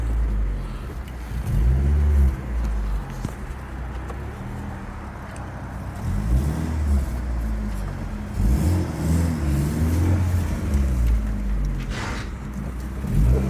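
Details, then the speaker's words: Rover 820 Turbo Vitesse coupe, manual, started after sitting about two years on a new battery, revved in the car park: deep, raspy, sporty rumble growing harsher with revs, throaty chuff off load; exhaust is blowing somewhere, an exhaust leak. "I do remember this 820 being pretty nippy, but considering it's been sat for a while, that exhaust is blowing a little bit. It does sound quite sporty, but I'm sure it's not supposed to sound like that."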